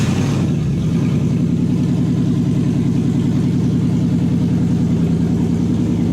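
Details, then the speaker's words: Toyota 1UZ-FE V8 on new conversion wiring loom with 40/40/40 ECU, in park: cranks briefly, catches at once, settles into smooth, steady even idle; starts and runs clean. "There is a start inhibit, so if it's in reverse or not in park or neutral, it won't start. Check that it is in park and it should start and run."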